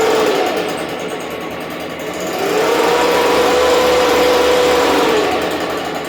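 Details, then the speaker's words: Stihl BG86 blower, checking for air leak (loose isolator block screw suspected): two-stroke buzzing high, pitch climbs and holds for a couple seconds as the handle is pressed, then eases back; cause not confirmed. "so I'm gonna start it up and then listen to the RPMs pick up when I lean down on the handle"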